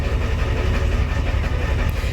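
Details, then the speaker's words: 1990 Ford F Super Duty, naturally aspirated 7.3 IDI diesel, just cold-started after sitting a week, before injector replacement: heavy idle with loping uneven thump, truck shaking; owner believes injectors are leaking; rough idle from leaking injectors. "you can see we're shaking pretty decently"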